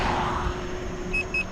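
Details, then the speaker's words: Gotway MCM4 electric unicycle at about 13 mph: two short high-pitched beeps over steady ride noise; first speed alarm still switched on in the app. "you can hear the beeping going on and I'm doing like 13 something"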